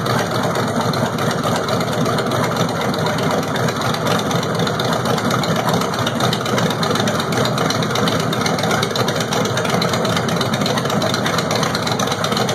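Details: LT1 V8 on a stand, water pump off, running on cold fuel vapors with Delteq distributorless ignition replacing the Optispark: steady, even rumble with no misses, knocks or stumbles over stand noise; firing cleanly and idling normally.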